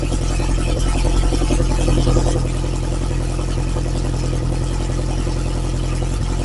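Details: Lotus Esprit engine after refresh, cold start settling into a raised, steady fast idle with a loud open-pipe rumble. It only reached about 30–40°C, not full temperature. Timing is set; the Bosch system and air-fuel ratio still need tuning. Firing is smooth and even.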